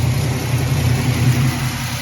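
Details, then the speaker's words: 1964 Ford Falcon after tightening loose header-to-collector bolts: deep steady burble with even pulses and no ticking or puffing, exhaust leak fixed and overheating resolved; quiet running. "That's how quiet that sounds out of here now. Water taken care of. Exhaust taken care of."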